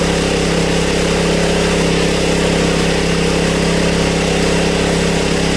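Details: Honda EB1400X generator that previously wouldn't put out power, now making power: smooth, constant drone at steady governed speed, no surging, misses or knocks, 112 volts at about 60–65 hertz; running as it should.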